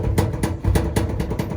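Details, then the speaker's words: Samsung dryer, unplugged, with the drum turned by hand: heavy, dull, uneven thumps about four a second, caused by the drum felt seal having come off and unbalancing the drum. "As you can hear, guys, I'm spinning it around manually, and I'm already hearing the thump. So, so far, I've already determined, guys, that this quote-unquote seal has come off and causing like a disbalance."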